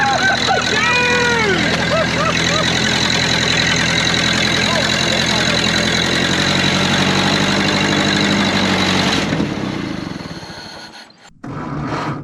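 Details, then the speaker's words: 1931 Ford Model A peach flat, sat 30+ years, first start with choke held: after a few squeals, a steady four-cylinder putter holds evenly until it runs out of fuel, apparently with exhaust chunks missing; runs awesome, normal idle. "Heat. I love it. That thing ran awesome."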